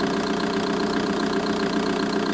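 Steady diesel idle with a light, quick, regular tick riding over the clatter; a ticking somewhere in the engine bay, source unclear.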